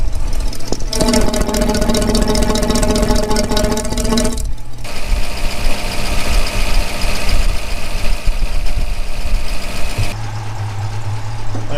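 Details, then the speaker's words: 1965 Mustang convertible, refreshed 289 V8 with AOD conversion, after tightening exhaust leaks found following Hurst crossmember install: deep even idle burble, no ticking or puffing, much quieter. Normal idle after repair. "all right now let's see if we can fire it up and we'll see if the uh it goes away a little bit [Applause] oh that's like a lot a lot quieter"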